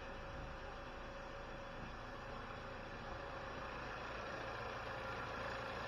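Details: 2020 Chevy Malibu 1.5 Turbo just after vacuum pump replacement, first start, no fuel leaks or check engine light: quiet, steady idle with a soft even pulse and no knocks, ticks or stumbles; normal idle.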